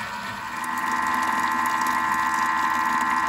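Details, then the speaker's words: Thermomix whipping cream into chantilly: steady motor hum with watery sloshing churn, cream still liquid; while sloshing is heard it's fine, once it stops watch closely as the cream is setting, too long makes butter; about 1 min 30 total. "tant qu'on entend clapotement c'est bon dès qu'on entend plus cap et mandat c'est là qu'il faut surveiller parce que ça veut dire que la chantilly est tentant de monter"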